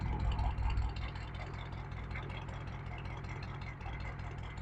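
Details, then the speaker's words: 1972 GMC Jimmy with Detroit Diesel engine, just after starting: steady, even low diesel idle with regular firing beat, no knocks or misses; runs like a top and starts easily even after sitting for months. "runs like a chop like a top [Applause] pretty awesome guys even if this thing sits for a couple months he just starts right off every time talk about reliability"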